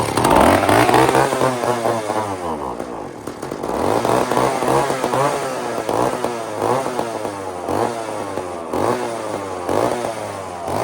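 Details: Old chainsaw (possibly model 2399 or 2899 B10, stock muffler) run on a slight prime: revs surge and fall unevenly, never holding steady. Just enough fuel to fire but not to keep running; carburetor suspected bad.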